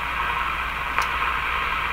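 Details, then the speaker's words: General Electric KL-70 AM/SW radio on the 19 metre band: even, steady background hiss with no station and one faint tick, quieter than the 25 metre band, first suspected as a weak band; shortwave background hiss. "this is the quiet 19 meter man you hear it got even quieter listen you're the hiss"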